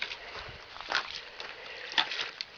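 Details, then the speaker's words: Gravity-fed hydraulic ram water pump, about 4 ft fall from the source bucket: sharp clicks about once a second over trickling water as the check valve slams shut; normal pump cycling, though the pressure gauge reads nothing. "So basically, that's what happens. The water's flowing, it slams that little check closed, and we're building up pressure, although I think my gauge is bad because I'm not reading any pressure, but the pump certainly works."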